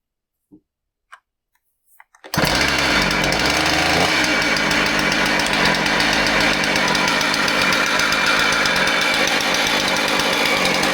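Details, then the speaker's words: Husqvarna 130 chainsaw starting and running with a harsh, clattering rattle much louder than normal; customer complaint of a weird noise, cause diagnosed systematically starting from clutch, chain brake and drum. "Wow. Yeah. Wow. Pretty noisy."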